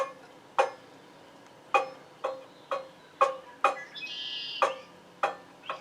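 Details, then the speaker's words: 40-50-year-old Shop Smith free-standing scroll saw being refurbished, blade plucked after tightening tension knob; about ten short clear bright pings in six seconds, blade now tight enough. "right in there is really good that that means that sharp enough or i'm sorry that it's tight enough"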